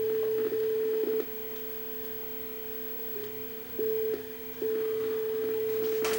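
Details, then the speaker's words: Sony SLV-757 VHS deck (circa 1989/90, blue gear previously replaced, bad picture) playing with auto tracking. A steady test tone drops out and returns about every second, the hi-fi track losing lock because the exit tape guide sits low. "Sounds like it's drifting in and out of hi-fi there, so let's put the scope on it."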